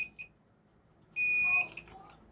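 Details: Microtek 825 A2 Plus inverter with humming problem, switched on during repair: two short high chirps then a longer piercing half-second beep; alarm cause unconfirmed, MOSFETs suspected fine, drive circuit suspected; inverter alarm beep.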